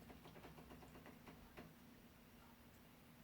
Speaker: not entirely sure if you can hear that weird clicky clicking noise. That's actually the water draining away from the washing machine.